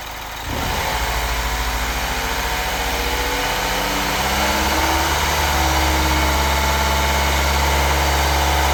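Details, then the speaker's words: A Mini Cooper S N18B16A direct-injection engine (as the owner believes) idles after aerosol Seafoam was sprayed into the intake to burn off carbon. A light, quick tick over the hum is the normal GDI injector tick. "Maybe we'll see some carbon come out of the exhaust here, just burning off any GDI deposits. Because it has that GDI tick, as you can tell."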